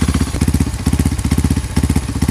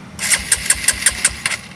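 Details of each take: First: Honda CRF150 supermoto bored up to 200cc with a Juken 5 remap for idle and timing, just started. Steady, even thumping with a regular beat and no misses or mechanical clatter: normal idle. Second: Honda CRF150 supermoto bored up to 200cc with a Juken 5 remap for idle and timing, in neutral. The starter turns it over in about seven even chugs, roughly five a second, but it never fires. No-start because the spark plug cap was left disconnected.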